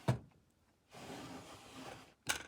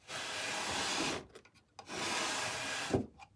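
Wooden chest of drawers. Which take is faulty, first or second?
second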